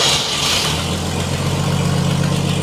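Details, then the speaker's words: 1947 Chevrolet Fleetline engine after new points and condenser were fitted, exhaust cut off: fires straight up and settles into a steady, even open-exhaust idle with no misses; normal idle. "We got it running!"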